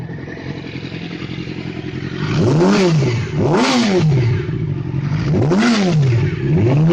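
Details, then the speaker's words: Yamaha R6 after an engine rebuild, which had a knock from 4,000 to 6,000 rpm; after replacing the timing chain tensioner, clean rising and falling revs with no knock. Normal revving. "после перебора двигателя яма R6 был стук с 4 до 6.000 поменяли ГРМ натяжитель в цепи и звук пропал"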